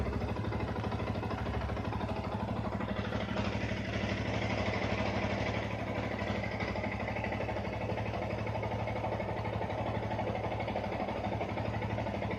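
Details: Yamaha R15 after fixing a whistling sound by replacing the water pump oil seal and bearing: engine idles evenly with a steady low putter and no whistle or whine.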